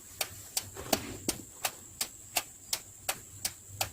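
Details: Mitsubishi Pajero Sport with the ignition on, turn signal switched on while probing turn-signal wires for a start-stop engine module install: crisp, evenly spaced flasher clicks about 2.8 per second over a quiet background; flasher relay working normally.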